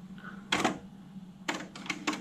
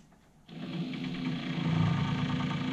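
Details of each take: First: 1980s AIWA AD-WX929 cassette deck with new belts, finishing Data 1 bias calibration on a blank tape: quiet motor hum with crisp clicks and clunks as the transport switches modes; normal operation, display shows tuned. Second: AIWA AD-WX929 1980s twin cassette deck, powered on with perished drive belts: quick even ticking about four times a second over the motor whir as bits of old belt on the wheels slap around; ugly noise, owner hopes belts are the only fault.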